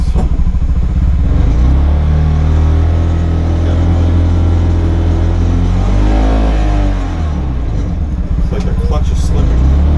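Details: CFMoto UForce 600 UTV at 2,500 km, test run after lift kit install: the engine drones and surges unevenly without pulling cleanly. Owner suspects lack of power or slipping, possibly after being driven too fast in low; cause unconfirmed.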